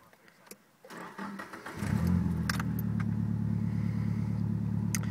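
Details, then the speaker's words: Nissan S13 with SR20DET conversion, HKS GTRS turbo, 3-inch turbo-back exhaust, 740cc Nismo injectors, nisTUNE ECU, copper plugs: brief crank, clean catch, steady even idle with a deep smooth pulse; runs well with no problems. "In general, it runs really nice. I haven't had any problems, and yeah, it's running real good. No problems at all."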